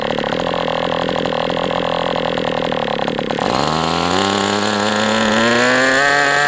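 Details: MDS 68 FS Pro engine during break-in at operating temperature, still tight: even ticking at low speed, then a clean whine climbing as throttle opens; strong steady run, no lean sag, better than with the idle bar plug.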